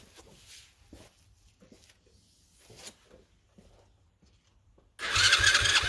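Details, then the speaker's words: Cheap Chinese 110cc ATV rebuild, messy wiring, carb cleaner sprayed into air filter before start: after quiet fiddling engine fires abruptly and holds a busy, even running note; quad runs normally. "foreign so there we go the quad runs"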